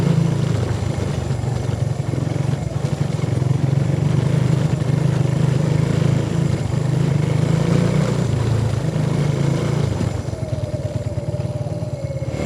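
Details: 125cc single motorbike, test ridden around a courtyard after repair and reassembly: small revs settle into a steady, even beat with no misfires, knocks or rattles, running healthy.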